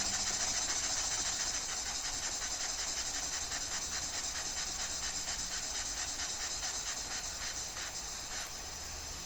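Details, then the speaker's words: Homemade slide valve mill engine on air, run slow: puffs about 170 times a minute over steady hiss, beat slightly uneven as the crank binds around the 1:00 position; misaligned main bearings suspected, runs better with eccentric-side bearing loose. "But, it's still got that same bind about, uh, I'm looking at this side of it, about the 1:00 position on the crank. So, uh, when it runs slow, you can really tell that bind."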